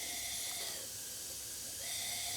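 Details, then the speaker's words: Leak-down test on a rusty, long-neglected ride-on lawn tractor mower whose engine wouldn't turn over, piston at top dead center with both valves shut: steady high airy hiss of air leaking past the intake valve, about 46–47% leakage, head gasket looking less likely. "okay we're about there and as you can hear we do have some leakage from the intake valve"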